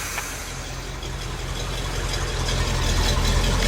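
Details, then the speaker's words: K30 fire truck on a test drive with new tires and mufflers, after ignition breakup under throttle was fixed with a new off-the-shelf coil: steady, even firing with no stumble, speed building smoothly; normal running. "no faltering now"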